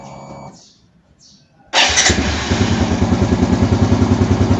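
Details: Fuel-injected motorcycle started after the fuel pump was reinstalled, with fittings tightened and checked for leaks; short crank, quick catch, even steady single-cylinder putter with no misses or knocks, healthy start.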